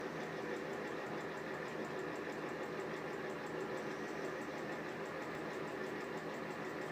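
An even rough rumble and fine rattle run steadily under the fan hum with no change in speed, typical of worn bearings.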